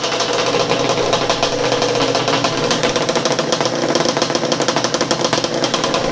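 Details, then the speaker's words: Yamaha Banshee two-stroke drag ATV engine, freshly rebuilt, first start on third kick with base timing set to 5 degrees, warming up at idle: crisp rapid crackle, steady with no misses or stumbles; normal idle. "There it is. She's really good at idle, guys. I'm just gonna let her get a little heat in her."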